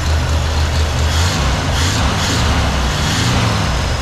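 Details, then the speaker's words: 1968 Jeep J2000 Gladiator idling after a new carburetor was fitted for fuel issues: low, even rumble in a steady idle with no misses or surging, running great; owner hears what sounds like the water pump going out. "great runs amazing now"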